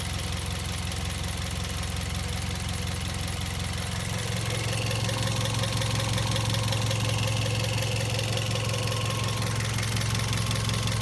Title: Vios Gen 2 - Loud Chirping sound coming from the engine bay